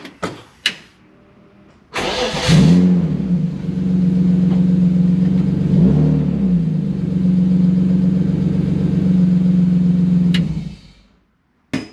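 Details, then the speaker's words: BMW E36 (early-1990s 325is), test-swapping DME engine computers, second DME fitted: brief crank catches at once and settles into a steady, even idle with no misses or knocks; normal start and idle. "first one crank no start second one obviously started right up"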